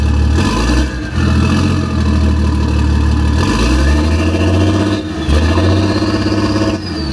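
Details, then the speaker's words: BMW X5 off-road build at idle, exhaust run as downpipe to a gutted secondary cat with a band clamp: an uneven, stumbling, lumpy idle with a cylinder dropping out. The misfire was reported by the previous owner; a bad injector is suspected, possibly DME. "So I don't know if you can hear that, but obviously this car has a misfire."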